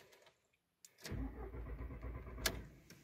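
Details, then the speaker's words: Volkswagen Jetta A4/MK4 with intermittent no-start, sometimes fully dead, clutch sensor ruled out: starter cranks steadily for about two seconds but engine never fires; crank no start. "pero no existe el famoso encendido vuelvo a encender se queda dando marcha no enciende"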